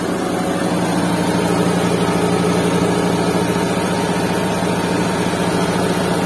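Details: Restored Suzuki Mehran with a WagonR K6A 660cc engine and 3-speed automatic, vibration test with a glass of water on it; even, steady low hum at idle, no knocks, misses or shake, smooth idle.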